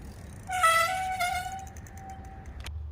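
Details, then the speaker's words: Mongoose mountain bike V-brakes squealing: a loud honking squeal near 700 Hz rises as the rim brake bites, then fades as the bike slows; started suddenly during a ride. "Alright guys, that is quite the annoying sound, isn't it? We were out on a bike ride the other night and just out of nowhere these things really started squealing like that."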